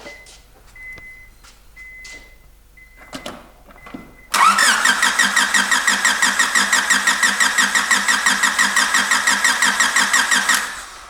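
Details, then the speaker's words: Ford EF sedan after MPFI swap and new distributor install: a short crank, then a lumpy, loping idle with a heavy pulse near three per second. Misfire on two dead cylinders, traced to a cheap eBay distributor cap. "we went to go start it and it didn't want to run right so I kind of got got it to start and run but it was only running like two cylinders so I got to looking at it pulled some plugs I had two dead cylinders"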